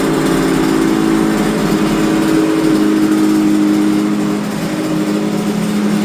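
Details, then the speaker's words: Yamaha TZR250 3MA two-stroke that wouldn't start, running after old fuel was drained from the carb bowls: crisp, buzzy note holding steady and picking up cleanly with no stumble; running healthy. "But after spending 5 minutes draining the old fuel out the carb bowls, a beast was born."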